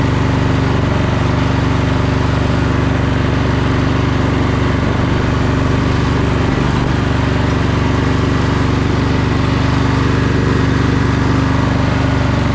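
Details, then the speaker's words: Sabre by John Deere twin lawn tractor, just started after fitting a used solenoid, off choke and slightly warmed: steady low drumming idle that never revs fully, sagging midway. Owner wondered about one cylinder, but the tank was empty except junk, so it was out of gas. "The weights seem like they're spinning slowly. It doesn't seem like it's revving up all the way. I wonder if it's running on one cylinder. Well, or maybe it's running out of gas."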